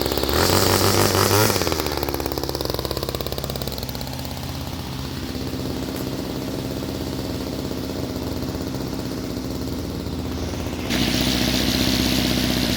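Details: Homelite 2-stroke string trimmer with new string: small engine buzzes up, settles to a steady idle, then picks up again on throttle, running evenly without sputtering; normal running.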